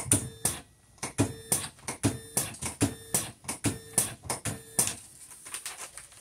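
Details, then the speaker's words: Videojet Dataflex Plus 6420 107mm printer after replacing the timing belt and linear slide: crisp, evenly spaced clack-and-whirr cycles about every second; normal print cycle, motion problems fixed. "looks great all right guys all we needed there was a timing belt and a linear slide that's it fixed our problems"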